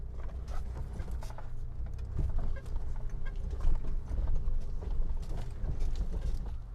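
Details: 1995 Mitsubishi Montero V43, 3.0 24-valve, lifted, coil-spring suspension, serviced and just inspected, crawling slowly over rough cross-axle ground: a low engine murmur with only gravel crunch and tyre pops, no clunks or rattles, so the chassis is normal.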